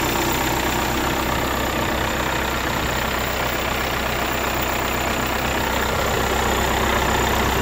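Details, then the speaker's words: 3.0 diesel, just started cold at a pre-purchase inspection: even, quiet diesel clatter at steady idle with no misfire or hunting; healthy cold idle, runs very quietly. "Так мотор только завёл мотор холодный работает и очень тихо и очень"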